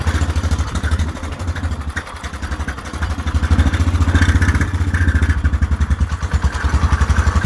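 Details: Whizzer small single-cylinder motorbike on a test ride after a new overdrive gear and pulley, clutch broken, shifting up from first: steady thumping around 200 beats a minute, pulling evenly through shifts with wind gusts, third gear working best; normal running.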